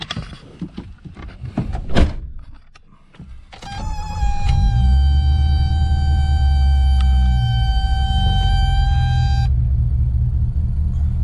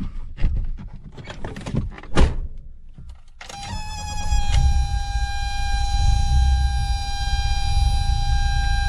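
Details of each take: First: 1984 BMW E30 with M10 four-cylinder, cold start, settles into a steady fast idle around 1300–1400 rpm that stays high when warm; faulty ICV control box in the glove box blamed; high idle. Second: 1984 BMW E30 with M10 engine, after bypassing a failed idle control valve control box: engine starts and settles into a steady idle around 1000 rpm with a constant whine, expected to drop slightly when warm; belt squeal remains.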